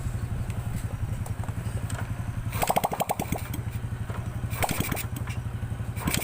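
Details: Grand motorcycle with the exhaust removed, after fixing carburetor spit-back: steady single-cylinder idle, then two crisp throttle blips that rise cleanly without popping; power and sound back to normal.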